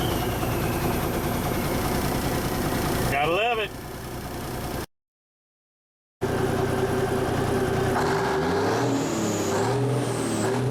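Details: 1974 Kenworth W900A, NTA420 Cummins diesel, revved after three years of sitting. A heavy diesel clatter at idle, then clean rising revs that pull smoothly and settle back: normal revving.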